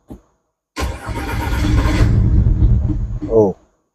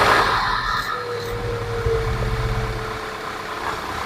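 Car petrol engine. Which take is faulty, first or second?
first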